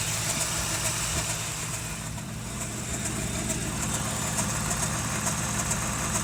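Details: 1988 Toyota 4Runner with 22RE engine at idle: light, fairly regular high-pitched ticking, a bit over two a second, above a low steady idle; strange noise, source not pinned down.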